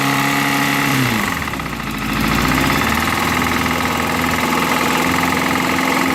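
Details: Yamaha FZS600 motorcycle idling lumpily after a throttle blip, with uneven rapid knocking from inside the engine. The source is not pinned down.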